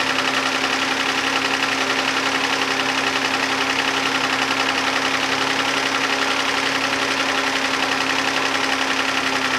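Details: 2011 Hyundai Santa Fe 3.5L V6 after an oil pressure switch repair: fast, even ticking well above the idle hum, louder than it should be; owner unsure whether it is lifters or injectors and suspects a wrong oil was used.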